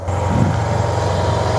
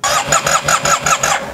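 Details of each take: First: 2009 Yamaha TMax scooter, 18,000 miles, neglected project bike just brought back to life: low, even burble settling into a steady idle with no knocks or rattles; healthy normal idle. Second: 2009 Yamaha TMax scooter, neglected project, cranked while holding brake: starter cranks in quick even pulses, engine coughs and tries to catch but never runs; spark plugs suspected.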